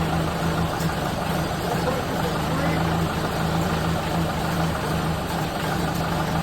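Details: 1931 late Model A Ford coupe four-cylinder with a new Snyder 5.5 head, first start since a full engine teardown, with good oil pressure: low, steady rumble with an even beat and no knocks or misses; it idles smoothly.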